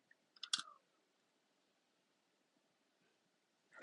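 A couple of sharp, isolated clicks a few seconds apart in a quiet room; the mouse is clicking by itself, cause unclear.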